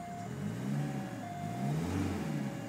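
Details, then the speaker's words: VW Passat TDI diesel, revved a few times: engine rises and falls cleanly with the usual light diesel clatter, no noise or rattles beyond what a diesel should make; normal diesel revving. "no noise no rattles well other than than the the rattle that a diesel should make"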